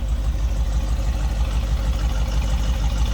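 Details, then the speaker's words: 1969 Ford Mustang Mach 1 R-code 428 V8 warming up after a cold start: deep steady rumbling idle with even lope, about three beats a second, no ticks or misfires; healthy normal idle. "Oh, rumble coming out of that 428."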